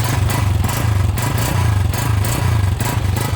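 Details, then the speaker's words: A 125 single-cylinder bike fitted with a common aftermarket silencer, revved in pulses: a loose tinny clatter rides on the exhaust beat. The silencer baffles along its whole length are rattling inside, before it is replaced with a Senkie silencer. "ड़क जाता है। इसकी इधर से लेकर इधर तक जितनी baffle है सारी जो है ना इसकी आवाज़ करती है।"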